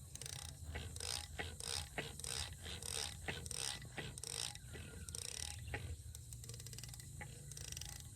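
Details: Massey Ferguson 135 dynamo, just removed from the tractor, armature spun by hand: dry, irregular scraping and ticking, the strange noise needing a rebuild; possibly a worn bearing or bush, not confirmed.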